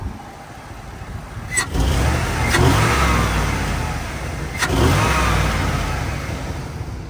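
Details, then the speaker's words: 2001 Chevrolet Tahoe V8, warm, after fixing oil leaks and misfires (valve cover gasket, Edelbrock air filter, EGR bypass): two throttle blips climb and settle smoothly with intake roar and no shaking. Check-engine light gone, so normal revving. "so she sounds way better the you can kind of hear the air intake right there"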